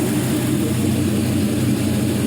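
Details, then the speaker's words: 5.3L Gen 3 LM7 LS V8 truck engine, 140,000 miles, running on a test stand: smooth, even idle with no misses, ticks or knocks, and no exhaust smoke; a healthy engine. "this engine was well taken care of and i'll let you hear the idle here"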